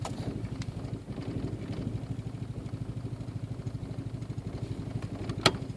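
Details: 1.8T engine: steady fast chuffing cranking pulses at unchanging rate for six seconds without picking up; turning over but hard starting.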